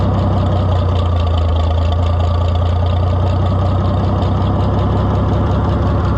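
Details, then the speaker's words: White 2-70 gas tractor test-fired during repairs after fuel was shut off for overflowing: heavy, low, even idle with a steady beat, no misses or knocks; runs smooth and healthy. "I'm thinking that sweetheart [Music] really don't run bad at all oh"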